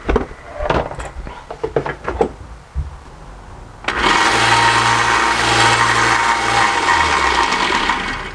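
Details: Harbor Freight belt sander after a minor rebuild to stop loose parts jiggling under the belt: after some handling clatter the motor spins up to a steady, even hum with light rattle. Normal running, much quieter, though one bearing remains somewhat loud.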